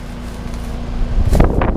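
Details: New Trane XR outdoor air conditioner condenser, installed this year replacing a noisy Carrier Tech2000, running before shutdown, overgrown plants nearby: low steady hum with faint even fan whir, then handling noise; normal running.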